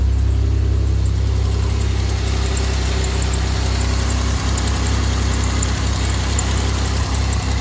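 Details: 2007 Grand Prix on first startup after a Gen 5 supercharger intercooler rebuild with a new heater core: deep, even idle with no knocks or misses, intercooler running; only a slight exhaust leak heard.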